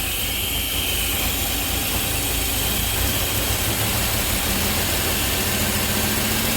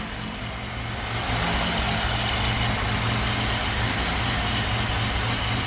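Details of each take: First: 3800 NIC-cam Grand Am GT (F23 swap) after new coils and ICM, first start on key: uneven lumpy idle with busy hiss; owner suspects bad vacuum leak, battery looks not to be charging. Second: Pontiac Grand Am GT with swapped 3800 V6, NIC cam, new coils and ignition control module, first start: steady lopey idle with even low rumble, no misses or knocks; healthy cammed idle.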